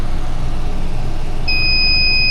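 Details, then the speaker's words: Battery on a no-crank, no-start vehicle under a 300 amp load test: the voltage falls rapidly, then a steady high electronic tone, the tester's low-voltage alarm, sounds over a low hum. The battery fails and needs replacing. "And there's our low volt alarm. We're in replace territory."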